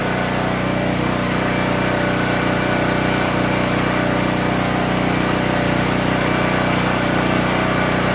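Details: King Canada 3000W portable generator, after a blown capacitor repair and new air filter setup to cure hunting idle, started before a load test: constant, even engine note at steady governed speed with no surging or hunting; normal steady running.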